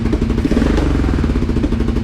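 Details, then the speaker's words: Suzuki SV650 V-twin under restoration, intake pipes refitted with sealant on old gaskets: lumpy idle, regular backfiring, popping back on throttle blips instead of revving; brake-fluid spray didn't raise revs, owner doubts air leak; cause unclear. "Vous entendez là, elle tourne et régulièrement elle pétarade et puis elle prend pas ses tours. Quand je mets un petit coup de gaz, elle"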